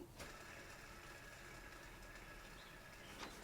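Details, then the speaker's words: Land Rover Defender ERR6951 tensioner pulley spun by hand with the belt off gives a raspy, gritty whir and thin whistle as it coasts; its bearings have gone very dry. "So the bearings that give up on it, it's gone very dry."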